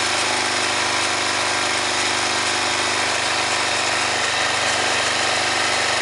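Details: 2005 Honda Rincon ATV with 300 miles: under throttle the engine runs with a steady, harsh, gritty rasp riding high over the exhaust note, grinding inside the engine, cause not yet clear.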